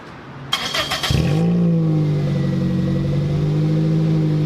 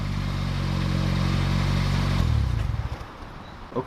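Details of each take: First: 2007 Toyota Corolla LE, muffler removed before fitting TRD muffler: quick crank, then loud deep raspy idle drumming well above normal, siren wailing in background; surprisingly sounds good with no muffler. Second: 2007 Toyota Corolla LE, cold engine, TRD muffler (PTR0302061) just installed: smooth even idle with low steady exhaust drone, then engine shuts off; healthy, no rattles.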